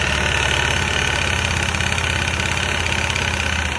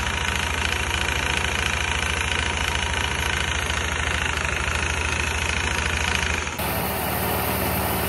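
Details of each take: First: Kuba Brilliant 125 scooter idling: a dull, uneven crank-like knock from the variator side, traced to play in a worn front variator. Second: Kuba Brilliant 125 scooter idling evenly after the variator fault repair; the earlier rattling clatter from the variator side is gone.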